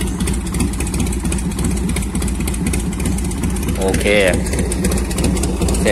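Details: 1990 Harley-Davidson Fatboy Evo carbureted V-twin after carburetor cleaning fixed a no-start (fuel not reaching jets): steady even lumpy low idle, no miss or stumble; running cleanly.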